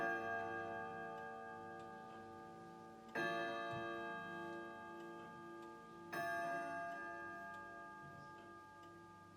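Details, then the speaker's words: Grandfather clock at 12 o'clock: a whirring, then chiming, then clear bell strikes about every three seconds, each fading slowly; normal striking. "because you see it's almost 12 o'clock and then you must listen for a whirring sound and then you've got to listen to the chiming and the striking"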